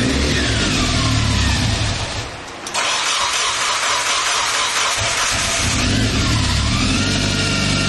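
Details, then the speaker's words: Turbo Miata after timing, cam and crank seal work: harsh whine over the idle rises and falls with revs right after start-up, caused by timing belts cranked too tight. "Really bad. I don't know what that noise is. Yeah, that makes a lot of sense. Yeah, the belts are too tight, bro."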